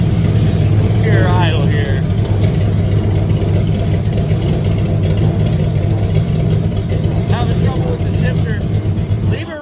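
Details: Burnout truck's small-block V8 idling in the shop before upgrades for a burnout competition, recorded as the "before" sound: deep, steady even burble with no ticking or knocking; normal idle.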